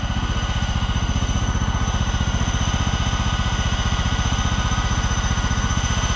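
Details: Auction John Deere LX186 riding mower with a 17 hp Kawasaki engine, on a test drive after repairs, including reverse: a steady, even engine beat around three firings a second over a low drone. The hydrostatic drive shows no slow or whining reverse. Normal running.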